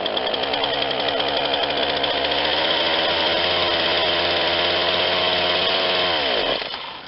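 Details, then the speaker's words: Ryobi 40cc chainsaw that had sat unused, running: a steady, high, raspy buzz that never climbs when throttled, then winds down and dies. No throttle response; throttle linkage likely not hooked up. "i have absolutely no throttle response because i think i didn't hook it up"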